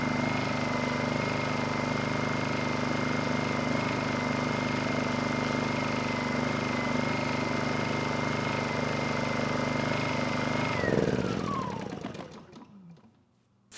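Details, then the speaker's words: Honda EU2000i generator after carburetor leak repair with a new needle, started first pull on choke; steady, even hum at one speed without hunting, then a clean wind-down at shutoff; normal running, no leaks. "this thing fired right up first pull engine sounds good and it's making power more importantly we don't have any leaks on the carburetor"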